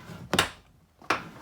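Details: 2003 Chevrolet Trailblazer door after hinge lubrication: swings and shuts with clean solid thunks, no squeak or creak; hinges now quiet, though the door rubs slightly on the fender.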